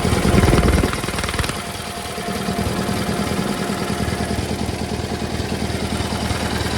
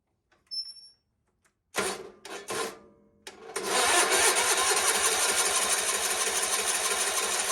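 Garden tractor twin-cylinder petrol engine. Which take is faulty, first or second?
second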